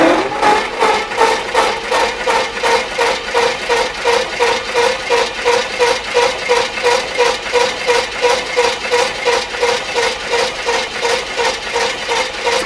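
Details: Chevrolet C10 Silverado pickup that sat for 23 years: steady, even cranking at about three compression pulses a second that never catches, so the engine turns over but won't start.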